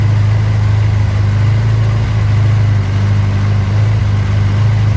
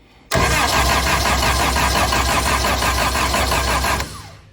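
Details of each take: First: Barn Sprite (Austin-Healey) with a newly installed 1275cc A-Series engine on first start, after the throttle is backed off: low, even idle with no surging, at a good rpm for setting the timing with a timing light. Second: Austin-Healey Sprite with a newly built 1275cc A-Series engine, first start attempt with choke pulled and spark confirmed: steady starter cranking at about three compression beats a second that never catches. No fuel is reaching the filter yet, so it will not start from fuel starvation.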